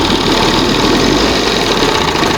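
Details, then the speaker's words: 1971 Johnson 20 HP two-stroke outboard: steady, even burble at low idle, no misses, surges or knocks; set on first mark, now reacts where it didn't before; normal idle. "It's on the first mark. Probably going to be the best place. See how now it reacts before it didn't That's probably the best what this thing's going to get."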